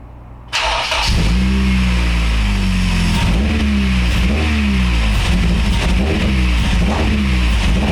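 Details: Acura RSX after fuel injector swap and fuel system priming, no leaks; engine catches but revs unevenly, hunting up and down; original injectors refitted later and it idled better.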